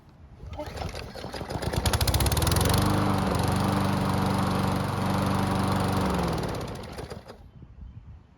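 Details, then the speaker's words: Toro mower, hot restart after running a while: one soft, slow pull and it catches at once, climbing to a steady even run with no sputter or hesitation, then winds down; starts fine hot. "And as you just saw, even with a soft, slow pull, it started with no issues whatsoever. There was no sputtering or hesitation. It started just like it should have."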